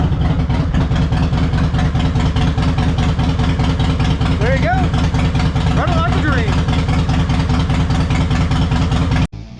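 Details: Harley-Davidson Fatboy Twin Cam Softail after fuel filter replacement, restarted: deep steady potato-potato thump at idle with even lopey rhythm, no misses or ticks; V-twin running clean, normal idle.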